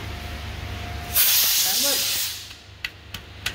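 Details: Mercedes E55 at about 81,000 km, being checked for a transmission oil leak: sharp airy hiss for about a second, then a few light clicks; the left side makes some sound, the right is fine; cause unknown.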